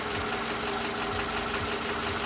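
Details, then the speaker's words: Toyota Camry engine, a model said to be factory-defective that burns oil, appears low on oil; dull regular knock about twice a second under steady hum while revving gently, sounding dry; suspected knock from oil starvation, not confirmed. "acelera el despacito vamos a ver si tiene aceite ese como claxodo como reseco se escucha más eso estos motores salieron con problema de fábrica ellos queman aceite verdad pero yo pienso que tal vez Alguna vez se haya quedado sin aceite"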